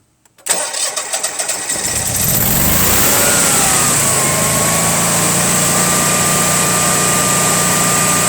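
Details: Honeywell/Generac generator model 60341 with intermittent overcrank lockouts, start with incoming gas pressure 8 (units not stated); cranks with a few uneven catches, fires, settles to a smooth steady run with constant whine. Starts and runs normally.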